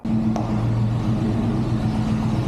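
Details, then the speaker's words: 1963 GMC C20 pickup, V8 revived after sitting since 1998, started cold with the choke unhooked after pumping the throttle: low uneven lope, unsteady beat but stays lit. Rough cold idle. "give her a couple pumps oh oh yeah baby we're Island not idling great but we're"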